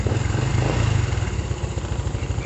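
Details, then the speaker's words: Honda Revo fuel-injected motorcycle during light service: steady, even low putter with clean quick beat and no knocks or rattles; idles smoothly, judged normal so only light service needed. "dia gambar ya terdengar dari suara Langsa mudah enak Maksude normal ya Jadi tidak perlu dilakukan service secara berat berada cuma servis ringan ya"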